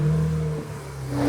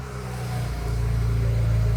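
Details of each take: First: 2008 BMW E90 335i with N54 engine: the cooling fan screams at a loud steady full-speed whir over the engine because the electronic water pump failed, setting DME coolant pump speed deviation codes after overheating. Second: 2008 BMW E90 335i with N54 engine, started after replacing the failed electronic water pump and refilling the coolant: it catches cleanly and settles into a smooth, even idle with a steady low hum, no knocks or ticks.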